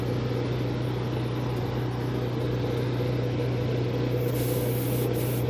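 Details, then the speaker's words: Whirlpool-built washer spinning hard, clutch judged good because it shakes; strong steady low hum with an even hiss, no scraping, knocking or leaks, normal spin. "now can't stop that she sounds good too there's no no leaks"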